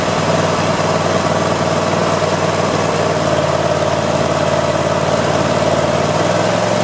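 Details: Customer's mower, outdoors around 70°F, after freeing a cap that was jammed on a loosening nut: steady, even engine drone with faint constant whine, no misses or knocks; running normally.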